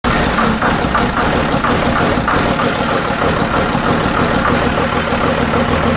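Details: 1999 Cummins 5.9 24-valve diesel, first start after rebuild: settles into an even, steady clatter with no knocks, misses or hunting; normal diesel idle.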